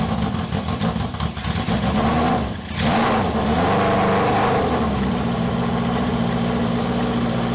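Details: Honda cafe scrambler project bike running for the first time in 21 years after a carb rebuild and wiring fix: a loud, raw, blatty exhaust bark rising with each throttle blip, with the silencer/muffler removed.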